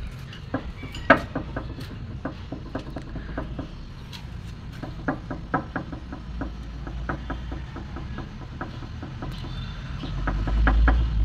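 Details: Toyota Vios, under-front clunking over bumps persisting after new shock absorbers, shock mounts and both suspension arms: sharp hollow clunks traced to play in the rack and pinion steering; steering rack clunk.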